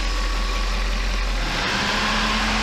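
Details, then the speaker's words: Mercedes 500E W124 V8 after rebuild, running a while; smooth even idle with steady low hum, occasional lifter tick now much reduced, owner thinks oil cleaning works; normal idle. "sometimes you can hear that lift to tick time to time but it's way less so it's I think the cleaning is working within the oil does is its job"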